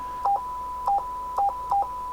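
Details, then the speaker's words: President Taylor FCC 40-channel AM CB radio with key beep setting on: four crisp two-note chirps in about two seconds, one per button press; key beep working normally. "this is the uh key beep you can turn it on or off so that when"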